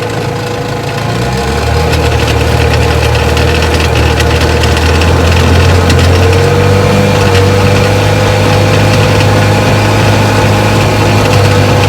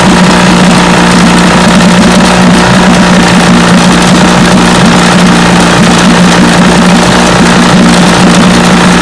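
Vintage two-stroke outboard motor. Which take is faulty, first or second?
first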